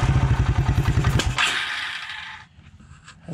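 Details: 1996 Suzuki King Quad 300 ATV on its first start attempt, running without the air box or air filter: single cylinder thumps out a quick, fairly even idle before fading; normal running, perhaps slightly lean.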